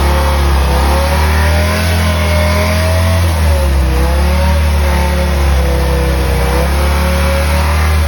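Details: BMW M3 with V10 swap, new 10-into-1 headers and 5-exit oval 3.5" custom exhaust, no radiator fans yet, warming up: revs up and down cleanly, deep even roar with no misfire; normal revving.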